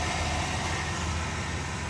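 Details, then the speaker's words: 2007 Chevy Silverado 4.8L V8 idling after starter replacement, with a noted oil leak: a steady, even low rumble with no knocks or misses, a healthy idle. "So, she running. I like that sound. Good."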